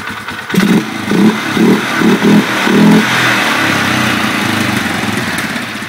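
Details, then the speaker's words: 2011 Polaris Sportsman 500 ATV with new header wrap burning off: throttle blips settling to raspy idle, loud hollow sucking through the filter with airbox lid off, changing completely once the lid is refitted. "man that sounds funny sucking it through the filter like that watch the difference in sound now completely different sound with the airbox top on"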